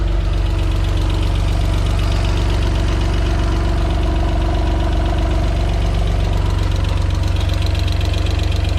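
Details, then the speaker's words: Alfa Romeo 147 GTA V6 first start about six weeks after engine install; even idle with light quick ticking about three per second, hydraulic lifters ticking before filling with oil. "on entend bien les petits poussoirs là."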